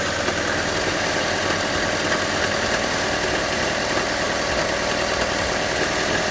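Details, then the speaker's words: Engine that overheated and had water added to its oil, warming up with good oil pressure: busy, uneven idle chatter with a faint whirring; owner suspects a pulley or belt; head gasket check under way. "I hear something weird. Like a pulley. Sounds like a pulley. Or a belt."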